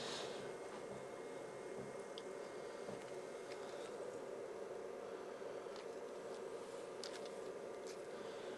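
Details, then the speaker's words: PlayStation 2 bought on eBay as having no power, after a repair of a disc tray that was caught on a peg, loading Enter the Matrix; a faint steady whirr with light ticks as the disc is read and the game loads; normal disc loading. "okay that's loading the disk it knows it's into the Matrix that's good"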